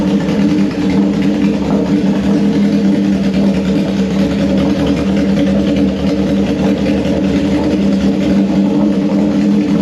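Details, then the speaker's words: 1974 Honda CB750 four-cylinder on auxiliary fuel tank with unbaffled straight pipes: loud, steady deep drone, even beat with no knocks or misses; running smoothly. "these are straight pipes there's no baffles in it so this is a headphone alert if you've got headphones on turn it down right now I'm going give you a couple of seconds turn it down right now because it is loud here we"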